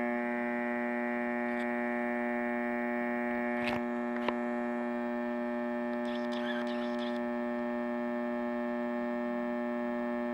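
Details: Macdonald CE 100 scanner: a steady low electrical hum with a buzzy edge and faint clicks, worsening when a certain capacitor is probed; suspected power-supply hum, cause not confirmed.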